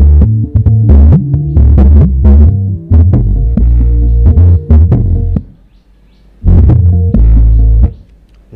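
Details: Sansui 10-inch active car subwoofer after its speaker was replaced with a stronger one; heavy bass plays, then drops out for about a second twice because the power supply isn't strong enough; subwoofer output cutting out, later run from a separate PSU.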